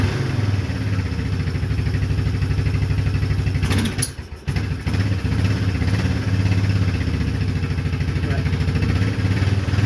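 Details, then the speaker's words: Old Yamaha Kodiak ATV, sitting about two years, with a modified exhaust that was cut off and touching the plastic: a steady, fast single-cylinder thump at idle with a harsh, booming, far-too-loud bark. "Well, it doesn't really show well, but we had to cut this off because he did some strange things to the exhaust. I'll show that a little later when we tear into it. but it is beyond loud, and it was touching the plastic."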